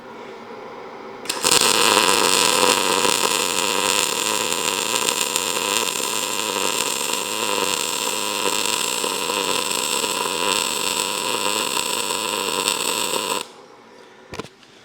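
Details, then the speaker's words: ArcCaptain MIG 205 MP short-arc MIG welding with wire speed turned down to 380: about twelve seconds of steady, even frying hiss without sharp crackle bursts, flatter, smoother tone than before; well-tuned arc. "This one's a little bit flatter. That's how I like it. Now, I realize that everybody's a little bit different, but hopefully you could hear the frequency change or the tone. It kind of smoothed out."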